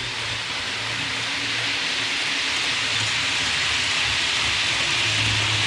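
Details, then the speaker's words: Hornby APT (Advanced Passenger Train) model coaches rolling on the layout after wheel cleaning to fix a high-pitch squeak: soft steady rolling hiss, squeak gone, though one bogey on the first half still has a slight squeak; normal quiet running. "all right so it's no longer squeaking uh there's one bogey on the first half of the train it has a small little sneak still"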